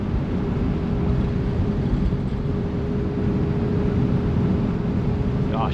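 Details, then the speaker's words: 1955 Chevy Bel Air "Lucy" cruising hilly roads after a months-long no-run problem was fixed: steady low rumble at even road speed, no misses or knocks over the tire noise. Normal cruising. "she runs so good."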